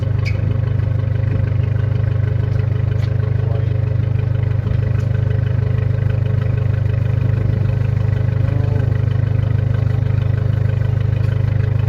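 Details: Car just reassembled, first start: heavy droning idle with a regular loud pulsing beat over a low rumble; owner suspects a bad exhaust leak, probably at the downpipe (no gasket there) and bad gaskets further back.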